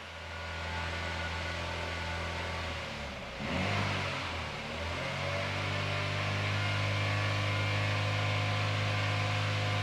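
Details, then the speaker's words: 2017 Holden Astra 1.6 turbo petrol B16, first start after replacing the cracked cylinder 1 piston (low compression, P0301 misfire): steady idle, a brief rev, settling smoothly, with no bad noises and some smoke. "Okay, well it's alive, so that's a good thing. There's no horrible noises. It's starting to get a bit smoky. We'll give it a bit of a rev, see how it goes."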